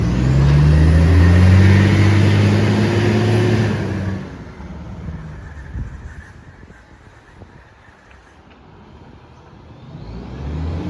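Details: Garbage truck SL01400 in Mandurah on Good Friday, deep loud rumbling roar under load fading as it pulls away; massive exhaust leak.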